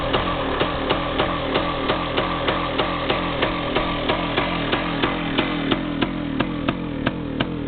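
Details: Yamaha DT360A two-stroke, just started with choke on, idle originally set about 1500 rpm: uneven stumbling buzz about three pops a second at light throttle; previously died instead of revving; cause unclear.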